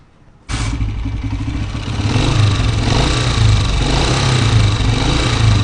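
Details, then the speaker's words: 2023 Honda CG125 motorcycle engine: busy, rapid top-end clatter riding on every beat over a rough idle; owner offers a fix needing a 12 mm spanner, not confirmed. "आवाज़ सुनी आपने, देख सकते हैं बाइक जो है ये बाइक 2023 मॉडल है और इसके इंजन से कितनी खतरनाक आवाज़ आ रही।"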